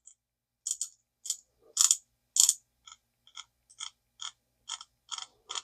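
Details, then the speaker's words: Vintage Zebco Cardinal 3 spinning reel after cleaning and lubing with Zebco grease, with the anti-reverse area left ungreased so it still clicks: bright, dry ticking in short bursts, roughly two per second, as the handle turns. Normal anti-reverse click. "I like that click. I mean, you can. It ain't going to stop the anti-reverse from working, but I like to hear that click."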